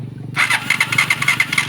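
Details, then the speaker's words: Honda TMX Alpha motorcycle suddenly lost spark and won't start: kickstarter churns through quick strokes with no firing at all; no spark, plug found with no current inside and cracked centre. "Kasi yung kanyang spark plug na nakakabit ay may problema. Wala na pong kuryente sa loob, tapos may crack pa po yung gitna."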